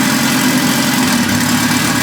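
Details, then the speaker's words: Honda Civic with built H22 turbo engine, first start up after build: steady, even smooth idle with no knocks or ticks; fired right away, running slightly rich. "We're recording already. Woo! Listen to that thing purr. Yeah, lots of oil pressure."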